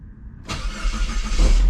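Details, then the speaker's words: 2002 Saab 9-3 after replacing a tired, slow starter motor, which was worse when hot: short, brisk crank that catches almost at once and settles into a steady idle; normal cranking and start. "oh wow that sounds really really good that sounded amazing"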